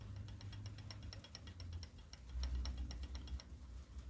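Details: Pushrod CG 125–250cc motorcycle engine with new timing kit and crankshaft: sharp rapid metallic ticking about eight a second over a low idle, timing gear rattle from excessive gear backlash, not valves.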